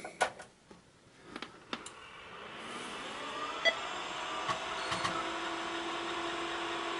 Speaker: oh well still sounds like it's working absolutely perfectly just like it was before